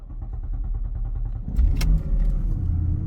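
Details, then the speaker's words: Porsche Panamera S with a loose timing chain, engine out of time and at risk of the cam adjusters slipping; uneven, stumbling idle with lumpy thumps and sag-then-surge, misfiring. "this car is really Shifty to run listen to"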